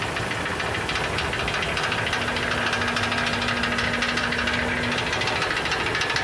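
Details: 2006 Ford E350 at idle, recorded underneath: hollow knock riding each firing pulse, about two hundred a minute, sometimes fading into a rattle, sounding like rod knock; seemingly from the right-hand catalytic converter, upper or lower section uncertain.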